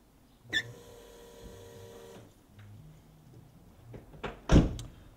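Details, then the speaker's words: Ferrari with K-Jetronic injection, key on and engine off: a faint steady electric hum for about two seconds as the fuel pumps run when they shouldn't, caused by a corroded switch contact; the fix is cleaning the contacts and packing them with grease. "you go you heard the fuel pumps running when in fact they shouldn't be because the engine is not running"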